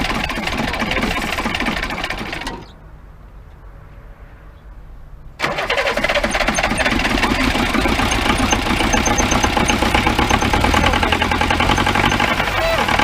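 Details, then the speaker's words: 1953 Mercedes 170D (W136) four-cylinder diesel, previously seized, first run after valve adjustment and new glow plugs: cranks, catches after a pause and settles into an even clattery idle; sounds healthy. "look at that that sounds pretty good"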